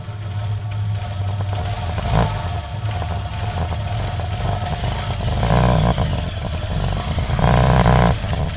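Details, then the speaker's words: Hero Shine motorcycle after the primary gear was replaced to cure a crack-like noise, microphone moved from near the tank down low by the engine: a smooth, even idle with a couple of brief blips and no rattle; the problem is fixed. "यानी ये problem बिल्कुल अब सही हो गए ठीक जो भी इसका साउंड था वो भी बिल्कुल साउंड बिल्कुल बढ़िया फर्स्ट क्लास"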